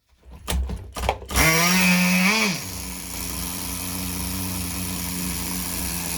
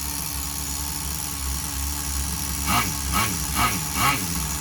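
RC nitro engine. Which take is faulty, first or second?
second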